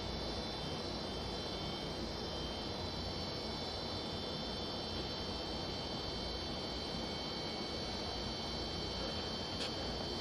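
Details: Vintage McGraw Edison box fan after motor bearing cleaning, switch tightened and cage screw replaced, repair complete: even steady whoosh of air with faint constant hum, no rattle, ticking or scraping; healthy.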